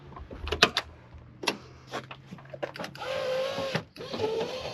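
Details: 1992 Ford Mustang LX convertible, parked for years: handling clatter, then a steady power window motor whir for about a second, twice over; the windows run smoothly and evenly; normal power window operation.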